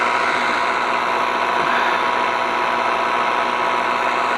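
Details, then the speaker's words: VW Golf GT TDI diesel, off the road since January 2020 after a burst radiator, restarted: even diesel clatter at idle, no misses or heavy knocks, holding steady; starts not too bad, idling acceptably. "it seemed to start not too bad so it's maybe another plug i thought it was"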